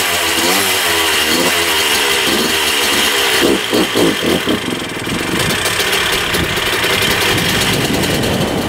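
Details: 1994 Honda CR125 two-stroke dirt bike, with a temporary gasket-maker fix on the coolant-leaking cylinder/head: sharp crackly revving with a high thin buzz and uneven blips. The owner thinks it sounds lean and needs richer jetting.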